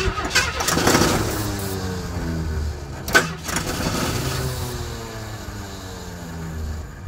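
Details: 1977 AMC Pacer with A/C, a parts car, in freezing frosty weather: steady cranking for a second, then catches and fires on fuel poured into the carburetor, settling into an uneven run; sounded pretty big.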